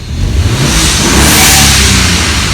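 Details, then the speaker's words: BMW E36 with N54 swap, free-revved with no load while chasing a boost loss: the engine sweeps up strongly with a rising hiss and blow-off valves venting, reaching about 10 psi. Turbos making normal boost before later dropping into fail-safe. "See, you can kind of hear the blow-off valves kicking off, so that's good. That means that the engine is working properly."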